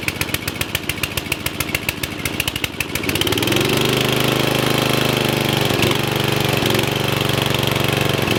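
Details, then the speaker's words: Murray riding mower, previously locked engine freed, head reinstalled, on jumper box: slow starter chugs about three seconds then catches cleanly and runs steady; smoking slightly. "yes that is awesome that starts right up had no trouble starting its smoking a little bit only a little bit"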